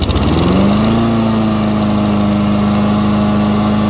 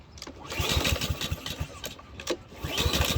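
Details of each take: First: Husqvarna lawn mower after carburetor cleaning, fresh fuel: pull-start catches and settles quickly into a steady, even single-cylinder drone with no misses or surging; running healthy. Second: Husqvarna lawn mower salvaged from a trash pile: two or three pull-cord bursts, turning over on compression but never catching; no-start traced to a clogged carburetor.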